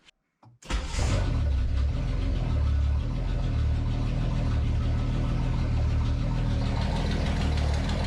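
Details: Datsun 280Z, sluggish and hard to hot start, ignition timing just advanced to about ten degrees: engine catches after brief crank and settles into steady, even idle with smooth low rumble; normal idle, revs better.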